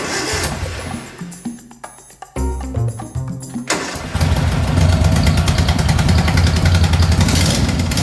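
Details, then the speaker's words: Racing mower engine after new fuel pump, filter and exhaust, before first valve adjustment: slow struggling start, then choppy, lumpy beat of three to four pulses a second; owner certain valve clearance needs adjusting. "It runs quite well, I think it, but you could see how long it took me to start it, and that's why I'm quite certain that I need to adjust the valves."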